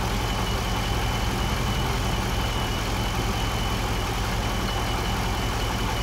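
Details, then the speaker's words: 2008 GXP, almost 150,000 miles, idle after start-up: thin, steady high whine over a rough idle, constant pitch, like a failing power steering pump; failing alternator putting out 13–13.5 V instead of about 14, with burning electrical smell. "alternator makes kind of a whining sound almost sounds like a power steering pump going out"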